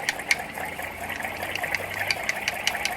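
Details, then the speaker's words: 1978 Motobecane Mobylette moped engine stripped for a 70cc kit, heard close to the crankshaft as it turns over: dry, uneven clicking and gritty ticking; the crank main bearings are cooked and being replaced with a stuffed racing crank. "I've always heard a lot of noise when I rode Moblettes, and I always thought that was kind of normal. But, once I get a little closer to the crankshaft, you can actually tell that these bearings are cooked."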